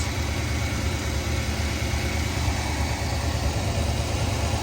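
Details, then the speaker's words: 1994 Chevrolet C30 ex-fire-department truck, 7.4 L V8, about 27,000 miles (Hydro Boost leak noted): deep, even idle rumble, steady firing, no ticks or misses; normal idle, runs like new. "but it's a good running truck I mean it it runs out down the road like a brand new truck"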